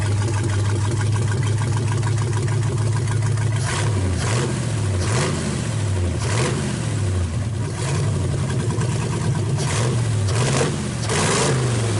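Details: 1931 Ford roadster with new progressive carburetor linkage, idle circuits shut and adjusted, vacuum advance working, fuel lines plumbed: starts into an even, lumpy idle, then blips up and down cleanly with no stumble or misfire.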